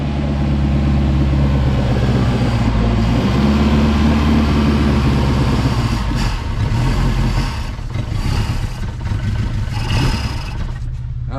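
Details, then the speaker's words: Engine on a $100 boat, run after the carburetor was removed and cleaned and fuel reconnected. It runs rough and stumbles, staying running only with the choke held. The owner suspects the diaphragm isn't pumping enough fuel; the cause is unconfirmed. "man, it's running if I keep choking it, so it's just not pulling enough fuel in, and I think it's got something to do with that diaphragm"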